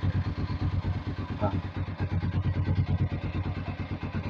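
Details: Vperman 150 single-cylinder motorcycle, in first gear with clutch lever squeezed (clutch switch required to start): catches and settles into an even putt-putt of about three firing pulses a second, no misfires; a clean normal start.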